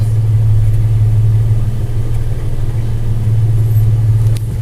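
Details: Toyota FJ Cruiser after an electrical repair for no dash power and no start: a low, even idle hum with no misses, knocks or ticks. It runs smoothly and sounds healthy.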